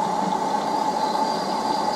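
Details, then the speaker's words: LG F1029SDR washing machine with an inverter direct-drive motor (no belt): the motor jams and gives a steady, unpleasant whine near 850 Hz with no turning rhythm, only creeping slightly one way. Error CE, meaning motor jamming, reportedly appears after a while; linked to LE/UE/CE errors. "Видите как клинит мотор ! Такой неприятный звук ! Вот а он должен крутиться а его блокирует ....."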